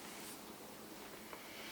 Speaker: so now the kiln is firing you will hear the relay clicking on and off when it is firing to reach a new temperature just like that